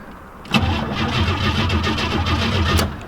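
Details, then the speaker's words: Abandoned 1987 Cutlass, first crank: the engine turns over freely with a steady, even rhythm for about two seconds, so the starter is healthy. Normal cranking. "It cranks. Not bad. We know the starter's good, the motor will at least turn over, and it sounds pretty good as well."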